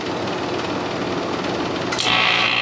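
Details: Fedders Airtemp 5100 BTU air conditioner with a Rotorex compressor, unused since last year and with a wrong fan wired to high, mic by the compressor: fan whoosh, then a sudden loud hissy rattle as the compressor starts; it sounds harsh.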